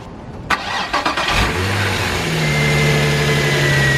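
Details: Z project car started after fitting the correct power steering belt, adding a washer and tightening the tensioner: a short crank, it catches cleanly, revs briefly and settles to a steady idle with no squeal or slap; power steering works. Normal.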